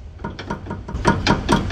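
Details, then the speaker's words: Nissan Sentra, car lifted: sharp hollow knocks about four a second as the subframe is rocked by hand, from play in a worn subframe bushing; front and rear bushings to be replaced. "esse barulho que faz ali ó ó ele bate aqui ó tá ó só com a mão aqui ó só puxando aqui ó ó ó como bate ali então ele criou folga aqui na bucha do agregado"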